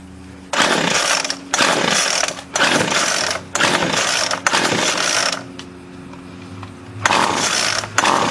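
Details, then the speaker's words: 25cc Featherlite string trimmer, two-stroke, low idle problem, after carb cleaning and new fuel lines: revs surge in one-second bursts and sag unevenly; rough hunting, high and low mixture screws need adjusting, owner lacks the special tool. "It actually needs fine tuning with the high and low mixture screws, but I don't have the proper tool to do that."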